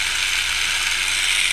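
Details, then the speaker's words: Roomba 4000-series drive gear motor before cleaning: steady dry crunching rattle at constant speed; gears sound rough, probably dirty inside. "I want you to hear it before I clean it up it's a a little crunchy"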